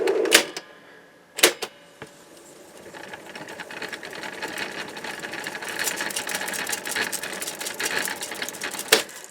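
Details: Mid-1960s Lloyd's TY-799A portable reel tape recorder, long unused, playing side two of a threaded tape: only irregular mechanical clicks and a thin transport whirr, no programme sound; runs but gives no audio, cause suspected, not confirmed.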